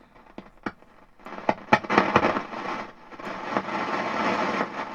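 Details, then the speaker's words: Hallicrafters SX-42 receiver with RF amplifier tubes pulled: irregular sharp pops and crackles over hiss, worsening with sensitivity control setting; suspected silver mica disease or noisy resistors. "that sounds like a silver mica disease on something and it gets worse depending on where the where you put the uh sensitivity"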